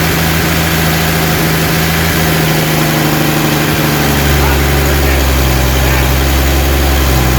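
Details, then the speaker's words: Rebuilt 230 six-cylinder at about 2000 rpm for cam break-in after timing corrected to about 10° advance, 40 psi oil pressure, 180° temp, no smoke; steady smooth drone, no valvetrain ticking; normal fast idle. "we're at about two thousand no it's not even smoking all right we we're breaking in the cam right now it's running really good sounds good"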